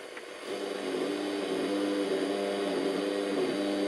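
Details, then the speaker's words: Salvaged stereo from e-waste on FM: steady low buzzing drone with rough distortion and no stations received; FM receiver faulty while AM works, cause unknown. "oh something's wrong with FM we're not getting any your stations and there's a weird kind of buzz sort of like a distortion"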